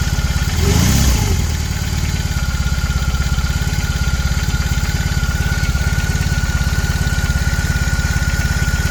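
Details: BMW R18 Classic, about 3:30 min after a cold start: steady idle with a fast, fairly even light clatter or knock over the firing beat, louder in person than recorded; source unclear.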